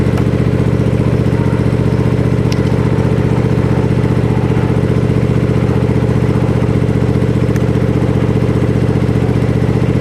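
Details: Gravely Pro Turn 52 mower with blades not engaging, started on a little choke after fitting a new plug: steady even engine beat about three pulses a second, no misses or knocks; runs smoothly.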